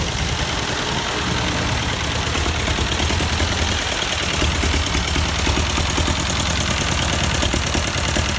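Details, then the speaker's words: 1952 Ford 8N tractor, sat unused for years, running: uneven stumbling idle with a lopsided beat and skipped firing every few turns; one cylinder dead, exhaust valve stuck open giving no compression. "you can hear it missing no difference there"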